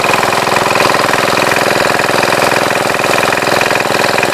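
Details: 1966 Gravely C10 single-cylinder on a temporary battery ignition coil replacing the old coil, which gives no spark through a plug: fast, even putter with steady beat, no misses or knocks; runs smooth and healthy.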